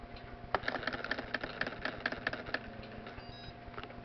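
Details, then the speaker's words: Repaired TRS-80 pocket computer printer plotting a name in font size one: rapid light ticking and pen clicks, then a short high beep when finished; working normally. "and as you can hear it made a a beep to signal that the print had finished and it's a little crooked"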